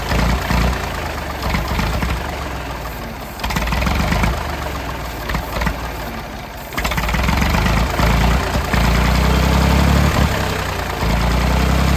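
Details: Late-1960s/early-1970s Massey Ferguson 2200 forklift, Perkins 3-cylinder gas engine, first run after 23 years: runs fairly evenly but revs stay high and surge instead of dropping to idle. The throttle won't idle down, and the choke is mostly closed to limit speed.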